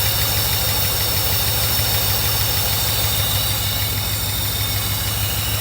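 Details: 1982 Mercedes 380SL V8 idle brought back down by applying nine volts to the idle air control valve, bypassing the idle control module, which shorts when warm; low, even, steady idle pulse with no hunting.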